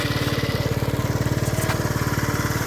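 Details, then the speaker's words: Lance Cabo scooter idling during charging test at 13.29 V: even single-cylinder putter, no misses or knocks; smooth normal idle. "right now with the bike running at idle, I'm doing 13.29."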